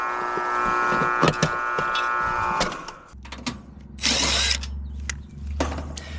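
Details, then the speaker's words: Heil heat pump outdoor unit running in cooling: harsh, steady electrical buzz from a very hot condenser fan motor straining but barely spinning; most likely stuck bearings, motor replaced. "Honestly, as loud as this motor was, it was trying to spin a little bit. Uh we're looking at most likely stuck bearings. Um so a bad motor."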